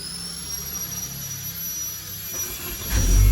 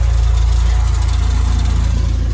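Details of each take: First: Luxury car, engine at the rear, that often will not restart when hot; this start is after it sat a long time: quiet at first, then it catches with a low rumble around three seconds and settles into a steady run. Normal start. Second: Car engine idling warm with a deep, rapid, even chuffing pulse from a holed exhaust; the car also tends not to restart once hot and switched off.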